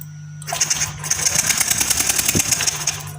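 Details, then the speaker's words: Yamaha Lexi fuel-injected scooter that died suddenly, covers previously disassembled: ignition on, starter spins fast and steady with no firing pulses; no spark seen at spark plug tip, ignition lost. "Perhatikan di bagian ujung busi apakah ada bunga api Pak ketika double starter. Nah, teman-teman, tuh, lihat. Di sini tidak ada bunga api Pak ya."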